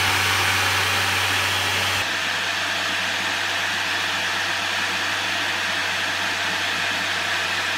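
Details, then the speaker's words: 2010 Radeon HD 6950 2GB graphics card in a Ryzen 5 1600 test rig, even before gaming: loud steady rushing whoosh over a low hum, like a vacuum; the blower fan is so loud the neighbours complained. "that's even before we've got into a game it's so loud that after running it last night for a couple of hours I went to my car this morning and my neighbors asked me why I was quote vacuuming at 11 p.m."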